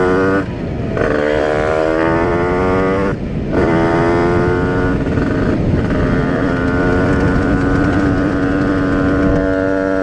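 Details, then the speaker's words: Tuned 80/85cc Rieju RR two-stroke moped with a new cylinder, after a needle change and a 148 main jet, 4% oil mix, smoking: crisp two-stroke howl climbing cleanly through the gears, no bogging or misses; runs well with strong power. "by changing the needle and also having a 148 main jet I feel like it runs pretty good now and it's just insane power"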